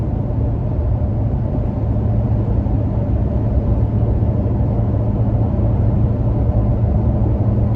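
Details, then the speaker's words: Toyota Tacoma with recovery boards mounted over the running boards, cruising at about 55 mph with windows shut: steady low road rumble, no whistle or rising tone; normal cabin road noise, no wind leak from the boards. "don't hear any whistling or weird noises or anything else strange as the wind passes over those uh running boards"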